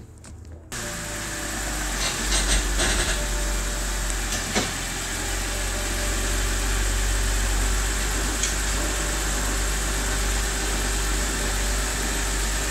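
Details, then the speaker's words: 2012/2013 BMW X3 F25 on a lift, idling in Drive with some gas: steady grinding drone with clunks. Customer thought it was brakes; the noise is at the front axle shafts and front differential. "so as we can hear the noise is coming from the front of the vehicle at the front axle which is powering the front wheels those actual shafts that are spinning at the front connected to the front differential where our noise is coming from"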